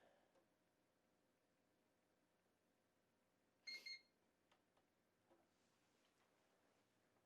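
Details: Dell OptiPlex GX110 (computer three, model with sound card) at power-on: quiet room, one short high-pitched beep then faint drive clicks; normal healthy startup.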